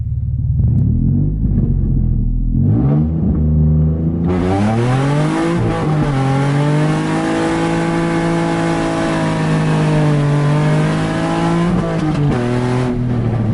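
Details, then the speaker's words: Nissan 350Z driven with a major exhaust leak at the headers, effectively open headers; raw, loud, unmuffled blatty roar rising and falling with revs; owner later bought bolts and hardware to fix it. "I'm basically opening headers right now cuz I have my big ol exhaust leak right"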